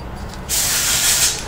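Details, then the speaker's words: Holden Commodore V6 drive belt idler pulley bearing, removed and spun by hand: dry gritty crumbly rasp about a second; worn out, noise changed with revs and was mistaken for transmission. "can hear that one's really crumbly as well same as before"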